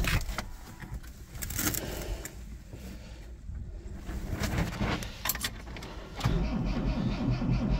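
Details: "Rescue" Tercel wagon (1983) cold start at about -6°F wind chill in Pennsylvania after sitting a couple of weeks; engine catches at once and settles into a low, steady, tractor-like idle with no stumble; normal cold start.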